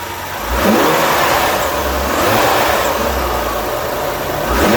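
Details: 2013 BMW X5 35i with N55 engine, after replacing the engine air filter: smooth even idle with a couple of light blips and no misses, ticks or whistles; a healthy, steady-running six.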